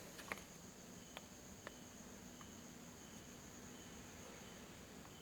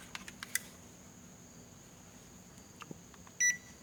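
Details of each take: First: Panasonic inverter air conditioner indoor unit, after cleaning: faint steady fan hiss in a quiet room, then one short beep near the end as it powers up normally. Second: Panasonic inverter air conditioner indoor unit after cleaning, control circuit suspected: a few faint clicks, then one short high beep on power-up but no fan whoosh; indoor fan not starting.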